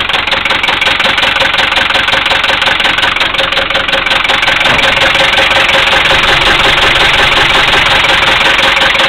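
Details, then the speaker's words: 1974 Mercedes diesel that started without working glow plugs: sharp, even knock about three per second over a clattery idle, the hard metallic beat of a worn rod bearing. Rod knock. "oh this Smo there you have it 1974 Mercedes with a rod knock still running"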